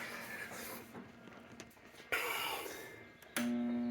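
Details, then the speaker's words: Jammed kitchen garbage disposal: quiet clatter then steady low electrical hum with no spin-up or grinding, motor stalled; freed by manually turning it from underneath. "now Alyssa's uh garbage disposal is stopped it won't work"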